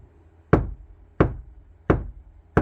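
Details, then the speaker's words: Kia Sportage NQ5 facelift door tapped from the inside: four dull knocks give a short, soft low thud with less low-frequency energy than the outside skin and no ringing; well-damped door panel. "좀 더 맞죠. 어 바깥쪽보다 조금 더 그 배음 저음이 발생하는 그 어떤 그 에너지가 좀 적습니다."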